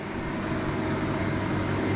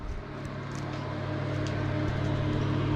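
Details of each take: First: Victron Phoenix inverter feeding a Multiplus in series, loud steady electrical hum with mechanical drone, still humming after hot water system turned off; drops out since portable air conditioner added, owner suspects too much inductive compressor load. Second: Victron Phoenix feeding a Multiplus in series, 6 kW combined maximum (4 kW plus 2 kW) with A/C off: low even hum with faint steady buzz holding at full load, inverters operating normally.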